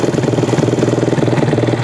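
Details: Yamaha Jupiter MX that had been dead and stalling: small single idles with quick even pulses, about nine or ten a second, steady and free of knocks or misses; normal idle.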